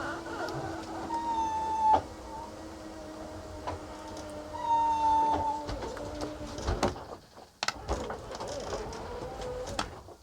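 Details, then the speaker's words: Coachmen Sportscoach 380MBS Class A RV on a Freightliner XC chassis: the slide-out electric motor whines in two long passes, pitch sagging under load, struggling over a hump where wood rides up a ramp. "struggles getting over that hump there all right I'm going to let the motor rest and then I'm going to try to bring it back in"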